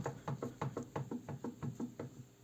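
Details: Daewoo Lanos rear right wheel rocked by hand: quick hollow clunks, about five a second, from play in the rear hub bearing; rear left has the same problem.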